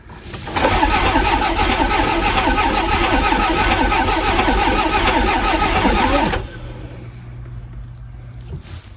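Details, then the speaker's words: Toyota MR2 crank no-start, no blown fuses: it cranks steadily at about four turns a second for six seconds and never fires; the fuel pump hums faintly and seems to run only while cranking. "Okay. So, I can hear the fuel pump, but um it only seems to come on the fuel pump when you're actually turning the engine over. Uh so, as we predicted, it doesn't start."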